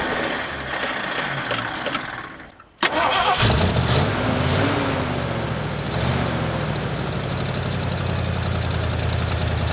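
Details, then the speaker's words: 1979 Ford F-150 with a modified 351 V8, abandoned in a back yard, just after bolting on a new aftermarket carburetor: brief crank, pause, then catches cleanly into a steady, even idle with no knocks or misses. "There you have it, Chinese carburetor bolt-on, lit right off."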